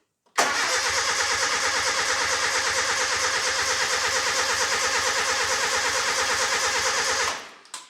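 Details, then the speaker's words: Nissan 910 Bluebird wagon, engine first start attempt with 10 litres of fuel; starter churns evenly at about three beats a second for seven seconds, never fires; fuel present, no spark, distributor plug disconnected; crank no start. "Nope, that should have kicked by now. That didn't sound good. Could have just been compression."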